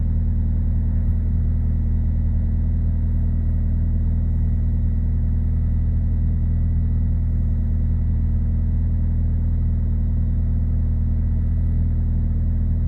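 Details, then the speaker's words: 2000 Ford Focus 1.4 after cleaning the idle control valve for a hunting idle: smooth, steady low hum at raised idle, slowly coming down while warming up, taking longer than usual; no roughness. "God it's taking a while in it doesn't normally take this long probably cuz I'm only sitting here"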